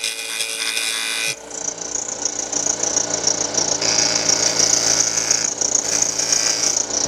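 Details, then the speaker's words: Wood lathe, inside-out turning with the tool riding the bevel: even, steady hiss of shaving wood with no catches, chatter or tear-out; a normal smooth cut. "you should just hear a smoother I can't make the noise but that that should just sound like that shouldn't good shirt and sound like this well like that"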